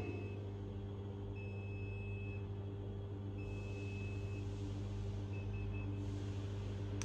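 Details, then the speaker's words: Motorized vertical blind during remote programming: with the down button held as mains power is restored, several faint high beeps over a steady low mains hum confirm the motor's direction has been reversed. "j'appuie sur le bouton du bas toujours en restant appuyé mon collègue revanche le secteur vous entendez les bips"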